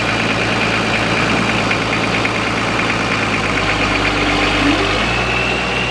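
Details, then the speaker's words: Long-sitting old diesel being moved off a property: steady, even running with a faint high turbo whistle on top; normal running with turbo whistle. "he sounds good too nice whistle to her straight off the turbo"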